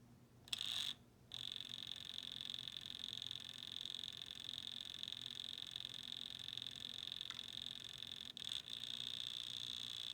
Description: I have this clicking noise that has started in my Dual CS 5000 turntable.